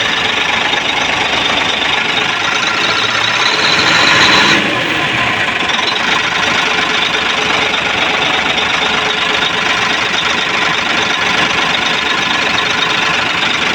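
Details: Hino 700 truck diesel that cranked without starting, after bleeding the feed pump: clatters along at idle with a steady, even beat and no stumble or misfire; running normally.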